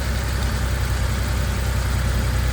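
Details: Porsche 911 3.2 Carrera flat-six after replacing engine speed, TDC and cylinder head temperature sensors plus new coil; smooth, even low idle pulse with no stumble, tick or miss: normal idle after repair.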